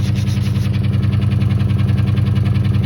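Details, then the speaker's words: 2001 Toyota Tundra V6 (24-valve) idling rough with an uneven, lumpy throb from a misfire; engine visibly shaking, check engine light flashes on acceleration; owner suspects a coil pack, cylinder not yet pinpointed. "Also notice you can hear the truck misfiring. You can hear like, it doesn't sound smooth, it just sounds like"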